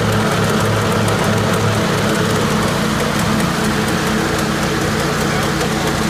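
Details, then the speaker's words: 1980 Jacobsen Turfcat 60-inch mower, engine running steady under a loose clattering driveline rattle: the PTO shaft bounces freely because its bushings are missing, wearing the shaft end. "the issue is if there were no bushings and the shaft the shaft was free to just bounce around that's what all that racket was you can hear in the video"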